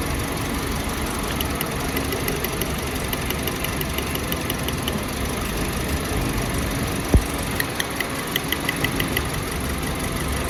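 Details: Toyota Yaris 2024 idling: rough uneven beat with occasional stumbles, engine missing with misfire detected.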